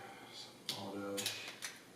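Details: Sony a6300 with a plastic-mount Minolta A-mount lens on an adapter: short bursts of gritty whirring and sharp clicks as the lens hunts focus, rough strained autofocus drive; cause suspected, not confirmed.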